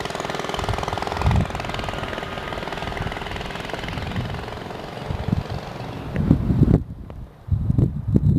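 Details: Baja Dirt Bug with an old worn 2 hp Briggs & Stratton side-valve engine replacing the China engine with a bad crank seal: fast steady chugging, cuts out, then short rev bursts; running fine.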